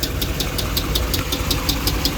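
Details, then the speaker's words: 2009 Dodge Ram 5.7 L Hemi V8 at idle, noise from engine center, codes P0340 and P0303 cylinder 3 misfire, slow starting, good oil pressure, metal flake on dipstick: sharp even tick about five per second; failed cylinder 3 lifter. "Sounds like the noise is coming from the center. Okay, we have trouble code cylinder 3 misfire, PO 340 and PO 303."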